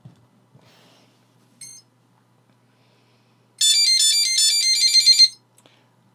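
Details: PixRacer flight controller on a multirotor, powered on after gyro and accelerometer calibration: quick run of bright electronic beeps for about two seconds, then quiet; normal startup tones.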